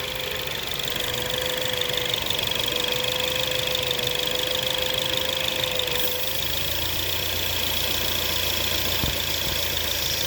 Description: 2017 Ford Focus ST possible vacuum leak Maybe